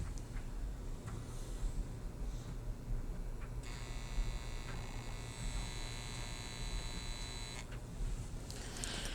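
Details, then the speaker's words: Carver Silver 9t amplifier, faulty channel under signal drive: harsh, raspy buzz for about four seconds with flattened bottom of waveform; distortion not a bias problem, caused by a failed JFET. "you notice anything number one the signal was somewhat distorted especially the bottom part of that waveform it was a lot flatter looking and that's exactly what the output of the amplifier looks like"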